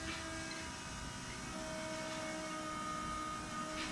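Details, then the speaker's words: Shelby Cobra build with a 2003 Mustang GT 4.6 V8 and 5-speed manual: at key-on, a steady, even electric hum as the fuel pump primes. It reaches 10 psi immediately, where before it struggled to build pressure. "i'm just gonna turn the key on and see how fast i can hear the pump pumping"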